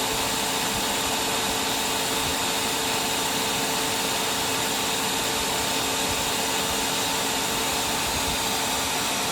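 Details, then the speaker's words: Simplicity Symmetry upright vacuum after brush cleaning and reseating the lifetime belt and linkage: steady even whir with constant high hum, no knocks, rattles or slipping, brush spinning with no floor load. It is working perfectly. "Working perfectly now. It's only taken a little while to slow down because there's no resistance on it like there would be with the carpet or a floor."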